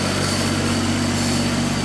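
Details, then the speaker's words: John Deere 322 flathead engine idling to warm the oil: steady hum with a faint constant rub at the front that sounds like hydraulics but is the PTO rubbing on something; needs adjustment. "The sound in the front here, it sounds like hydraulics, but it's not. It's actually my PTO, so I got to get that adjusted. It's rubbing on something."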